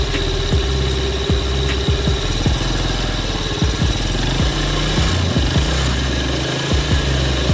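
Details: 2006 Yamaha Vega R New small engine after engine teardown and rebuild (previously rough, noisy wall bearing, hard kick-start): steady, even putter at idle with regular firing pulses and no knocks or rattles; engine now runs smoothly.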